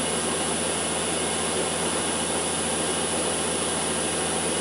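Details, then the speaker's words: Land Rover LT230 transfer case reported noisy, run on a test rig with diff lock in: steady, even whirring hum at constant speed, no knocks, grinding or screech; sounds fine, raising the question whether the problem lies elsewhere. "in it sounds fine to me so is the problem somewhere else"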